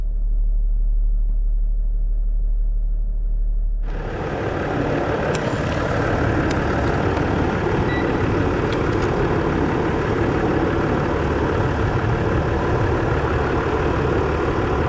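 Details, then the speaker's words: 2010 Land Rover Discovery 4 3.0 V6 diesel at idle after alternator replacement, with the battery reconnected to check charging. A low steady drone settles into an even idle with no knocks or squeal. It is charging at 14.5 V, a normal idle. "I'm just going to hook the battery on and start it up and see if it's charging"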